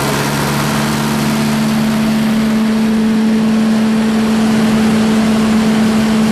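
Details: Reinco TM730 skid-mount straw blower, 4-cylinder gas engine, fully serviced, oil changed, tuned up, new battery: steady, even engine note, constant tone, no knocks or misses; normal running.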